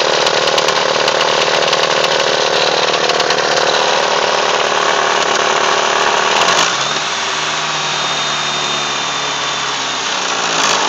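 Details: Mitsubishi Eclipse engine rattles loudly at idle, busy metallic rattle that goes away on acceleration; owner suspects it comes from the pulleys or behind the timing cover; cause suspected, not confirmed.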